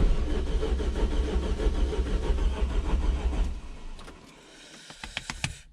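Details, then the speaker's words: First start of a rebuilt semi-forged 3.0 engine: quick, even cranking at about three beats a second with little compression load and no firing. The owner thinks it sounds like no compression, and the gauge shows no oil pressure, possibly a faulty gauge. Unconfirmed. "même le bruit on dirait qu'il n'a pas de compressions c'est un peu bizarre"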